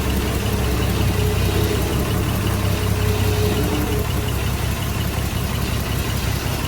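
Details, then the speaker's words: Engine pulled out and left to idle: ran and idled perfect at first, then a low, uneven "pa-poo" stutter that lurches now and then. "It was running and idling perfect that first little bit, doing a stupid stutter."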